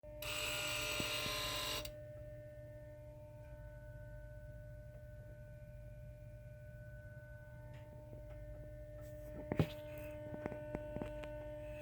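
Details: 2017 Toyota Tacoma TRD Off-Road 4x4 V6, ignition on, engine off: steady electrical hum with several fixed even tones, louder in engine bay and two to three times louder in ignition mode; not from fuse box behind battery; source unknown.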